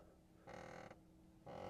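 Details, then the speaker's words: 2022 Audi R8 Performance RWD Coupe (5.2L V10) in the cabin: two short creaky squeaks under half a second each as the occupant shifts, coming from the Nappa leather racing shell seat bolsters, not the car. "Oh my gosh. That noise is coming from the bolsters on these seats. I don't love that sound."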